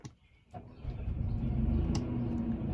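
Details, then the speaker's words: 2020 Thor Freedom Elite RV generator started by holding the panel start button, already warm: brief starter clicks, short crank, catches within a second and settles into a steady hum; normal start. "It's already warm, so it did start pretty fast. Sometimes they take 10 or 15 seconds to start up."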